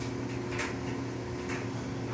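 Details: Samsung dryer after replacing idler pulley and rear drum wheels to cure screeching, running a full wet load on heavy duty: smooth, even drum hum with soft thumps as load tumbles, no screech; sounds healthy.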